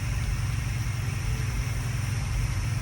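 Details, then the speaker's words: International Scout V8, first start after reinstalling cleaned, refreshed carburetor (previously ran smoky with black smoke): deep, steady even idle, no misses, knocks, hunting or hesitation; normal idle after carburetor repair. "So to hear it run this smooth is the dream, man. No hesitation. Just sweet."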